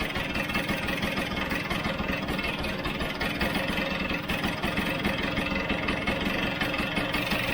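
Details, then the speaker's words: Vespa GS two-stroke after float-bowl fuel issue and idle (tick-over) screw adjustment with cowling off, before air screw adjustment: quick, even putter at steady idle, no hunting or stalling; normal idle. "a lot better i'm just stopping it again so you can hear me right now"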